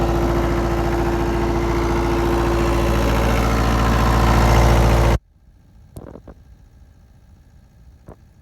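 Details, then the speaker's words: MEP-003A 10 kW air-cooled diesel military generator, started without glow plugs on auxiliary fuel pump: starts surprisingly quickly, runs smoothly and evenly about five seconds, shuts off cleanly; normal running. "i wasn't expecting it to start that quick"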